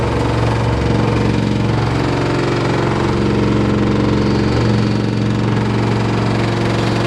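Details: LG F14A8RD washer dryer running: heavy, fairly regular thumping near four a second over a steady motor drone, a loud knock of unknown cause.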